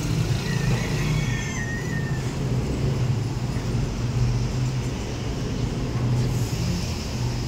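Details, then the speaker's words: Toyota Vios after flood exposure, repaired for check engine light, stalling and rough idle, trouble codes cleared and oxygen sensor addressed: low smooth steady engine hum with no misses or surging, check engine light gone; normal idle. "ngayon i-start natin so far Okay naman yan Wala na siyang check engine Okay na rin yung iding niya"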